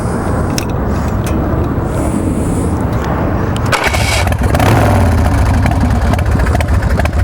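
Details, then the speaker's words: 2003 Swift Bar Chopper V-twin motorcycle with Vance & Hines: fires right off and settles into a lumpy even idle, steady firing, no misses, smoking or mechanical clatter; healthy start. "Thing fires right off. No issues with that. Real good throttle response."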